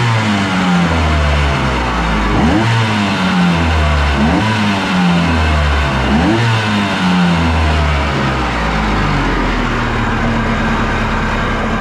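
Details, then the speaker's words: Kawasaki 1100 two-stroke jetski engine in a mini jet boat, running on the hose after cleaning a bone-dry carb: uneven blipping near idle with faint rattly jet pump chatter over the exhaust note. "All right, here's it running on the hose after I cleaned the carbs out. You can hear a little bit of pump chatter."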